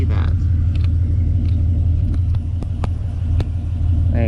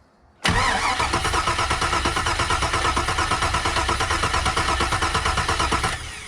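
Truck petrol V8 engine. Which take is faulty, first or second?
first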